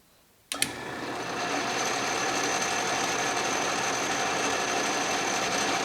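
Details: Restored 12-inch Atlas Craftsman metal lathe turning scrap brass under carriage power feed, lathe not yet leveled or bolted down: steady even whir with light regular tick about four per second; normal cutting under power feed.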